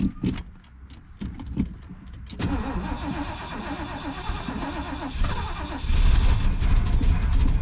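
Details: 1973 Mercury Grand Marquis Brougham, 429 Ford V8 with C6 transmission and 55k original miles, after sitting for an unknown time and being primed from a boat fuel tank: after a few clunks the starter churns steadily, the engine turning evenly but never firing or catching.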